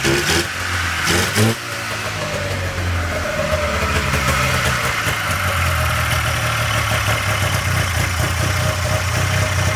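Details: 1997 Polaris Indy Classic two-stroke barn-find snowmobile on new hoses and fresh, thickly oil-mixed gas: a few blips, then a steady buzzing idle that holds without stumbling or dying; healthy, judged a good running machine.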